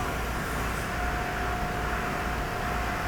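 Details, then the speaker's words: Tornos lathe's high-speed electric spindle at almost 1800 rpm milling the Torx pattern in a titanium screw, with spare torque capacity. A steady high spindle whine over an even cutting hiss, with no chatter or knocking; a smooth, healthy cut. "is where it's milling the torques pattern that high-speed spindle right there electric spindle at 17 almost 1800 rpm no torque"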